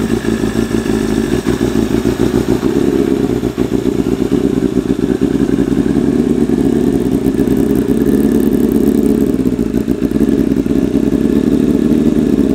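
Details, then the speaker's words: 1988 Kawasaki ZXR250 road bike, first start of rebuild: loud raspy four-cylinder idle with lumpy stumbling beat and uneven firing; running ridiculously rich, idle mixture set 3.5 turns out, shot flames. "It is running ridiculously rich. Like, ridiculously rich. So, we're going to have to address that. I sort of had a suspicion that the idle mixture was set really rich."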